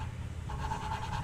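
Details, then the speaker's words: Nissan GTR RB26 cylinder head, exhaust valve being hand-lapped to its seat with a little oil: coarse rough back-and-forth scraping because the seat is not yet bedded; the pitch changes as it smooths. "you'll be able to tell by the sound of the grinding want to stop as you can hear now it's very rough"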